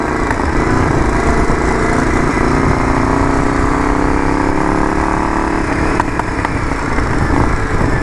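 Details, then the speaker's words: Yamaha Virago XV920 café racer build. Loud, uneven V-twin idle with a ragged, stumbling beat and heavy backfiring. Running rough; owner believes the carbs need syncing. "The carbs definitely need to be synced. Backfiring like a motherfucker."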